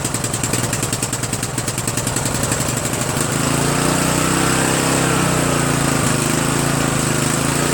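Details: Murray 14.5 42" Widebody LT lawn tractor single-cylinder engine after muffler refit, carburetor adjustment and choke linkage cleaning: uneven chuffing at first, then steady even run; normal running.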